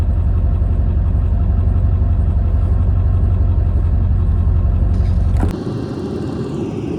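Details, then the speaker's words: Rear snowplow hydraulic pump on a 25-year-old 6.9 IDI plow truck, frozen in below -10 °F cold: harsh low droning growl with fast pulsing beat, then cuts off; owner suspects frozen hydraulic fluid. "but it makes pretty heinous noise here I'll let you listen here set you down"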